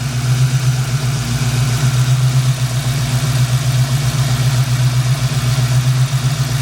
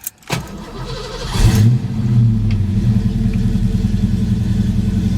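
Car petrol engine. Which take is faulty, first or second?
second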